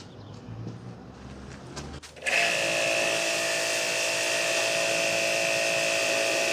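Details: Hanabi JBD 8003 induction-motor pressure washer, 127V/110V, spraying with the spare quick-fit 25-degree nozzle after an ill-fitting nozzle was replaced: motor starts with a steady high whine and even spray hiss, no pulsing; normal running.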